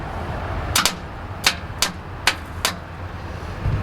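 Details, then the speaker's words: 1979 AMC AMX, 304 V8, won't start after sitting for months. With the solenoid bypassed by jumping to positive, five sharp isolated clicks and no cranking: the starter motor most likely needs replacing. "nope just clicks so 99 chance needs a starter"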